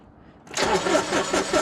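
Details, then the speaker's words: John Deere Gator 850D diesel that had a no-crank problem, after reconnecting the neutral safety switch at the transmission; brief crank, catches right away and settles to steady idle: normal cranking and start. "all right well that's something I think this is fixed let's give it a shot"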